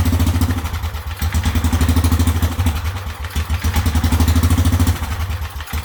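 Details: Whizzer motorbike small single-cylinder engine, tested after fitting a new overdrive gear and after a previous spark plug problem: steady low putt-putt, firing evenly with no knocks or misses, runs better than before. Normal running.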